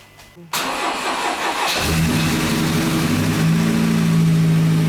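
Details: Gazelle van after gearbox repair and driveshaft and starter refit: short crank, catches straight away and settles into a steady, even idle with a slight rise; starts cleanly and runs fine.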